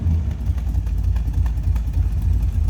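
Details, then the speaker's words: 1967 Chevrolet Corvette convertible, 327 V8 (350hp), rebuilt engine, idling just after an easy start with the temperature still coming up: deep, lumpy but even burble, steady rhythm, no knocks or misses. Healthy idle. "Of course, the temp gauge will come up with the temp of the car, and boy, does that sound nice."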